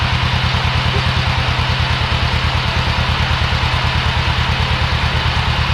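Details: Old Yazoo commercial zero-turn mower, just fired after years sitting in a barn: a rapid, even chuff holds steady at idle with no misses or knocks; the engine is running cleanly.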